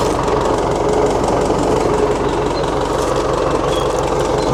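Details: 1960 Massey Ferguson FE35 tractor, 4-cylinder diesel, after sitting unused in a paddock for a long time: steady, even low chug at idle with regular beat and no knocks or misses; running healthy.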